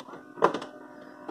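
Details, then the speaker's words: Saeco Talea/Giro espresso machine in test mode (water button held at power-up, dial rightmost): short motor whirr and a couple of clunks as the brew group drives to working position; normal travel, light flashes as the microswitch trips. "hear the coffee maker go into the working position. And then when it gets to the working position, it flashes that the light to indicate the micro switch is tripped."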